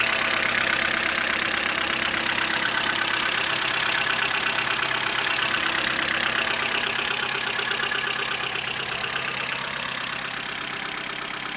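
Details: Vauxhall Corsa C 1.4 Exclusiv, Z14XEP engine, at idle: a fast, even light ticking rattle about three times a second. Owner suspects the timing chain needs replacing; unconfirmed.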